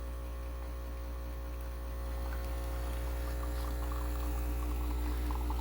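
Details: Breville Bambino standard espresso machine pulling a shot into a big mug: a steady low buzzing drone from the pump with a faint trickle of espresso building, the pump running normally, though the machine drips a lot afterwards.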